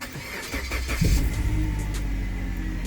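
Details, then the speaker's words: Suzuki Grand Vitara after the engine was fixed and reassembled, starting with AC on: quick crank and catch, then a steady low idle with no knock or ticking. Normal engine start. "Yes man, and if you listen, it sounds perfect. It sounds exactly how it's supposed to sound."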